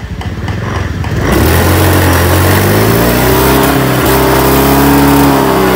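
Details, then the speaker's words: Honda Beat Street scooter that stumbles when revved and won't pull at full throttle, before replacing the TPS sensor with an NPP unit: revs rise then sag and waver at wide-open throttle instead of climbing; sensor suspected, not confirmed. "Ini kalau digas mentok dia malah mundur."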